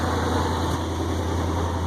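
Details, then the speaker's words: 1965 International Loadstar 1700 truck petrol engine at first start, idling smoothly with a steady, even rumble and no misses; only an exhaust leak is audible. "Idling just as nice can be. Look at that. Logan, I'll tell you what. You want a good running motor, that sure is it. That thing sounds great. Not missing a beat."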